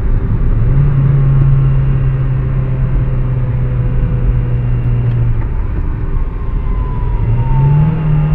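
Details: VW MQ200 02T manual gearbox, driven about 50–60 thousand km with the damage: steady low droning howl under road rumble while driving, from a failing gearbox bearing.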